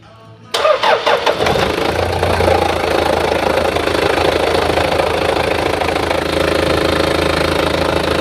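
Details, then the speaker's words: Toyota Hiace 1KZ-TE diesel, after refitting the repaired control unit (computer) to fix an intermittent injector-pump ticking and crank-no-start fault; short crank, quick catch, steady diesel idle with no ticking from the pump, running normally. "all right so it all runs okay at the moment no tucking from the pump"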